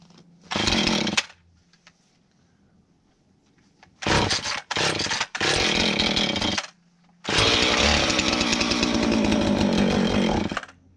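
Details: Husqvarna 450 X-Torq chainsaw, about to adjust the carburetor with the special tool: catches and revs in sharp bursts, settles to low idle, then holds strong steady high rev, clean; normal revving.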